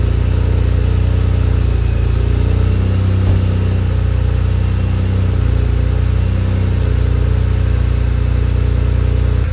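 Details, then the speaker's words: BMW 335i idling after vacuum pump replacement: steady, even low idle with a smooth deep hum and no squeal or chirp from the belt side; sounds way better, healthy. "yo this should sounds way better bro that just sounds like a car"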